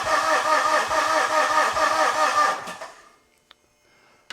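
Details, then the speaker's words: 2013 Mitsubishi FUSO FG with 4P10 engine and CP4 high-pressure pump: starter cranks in even beats for nearly three seconds without catching while fuel pours out of a leak, bleeding off rail pressure. Cranking no-start from fuel leak. "Well, that's interesting. That fuel is just pouring out of there and I had absolutely no clue."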